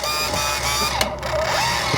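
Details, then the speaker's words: 2023 Mazda CX-5 driver's side electric parking brake actuator, removed and run on the bench: small motor whirs with a rough crackling edge and is slow to travel; internal actuator fault, to be replaced and the system reset. "You can hear it crackling. So, this this actuator obviously it's got a problem inside of it."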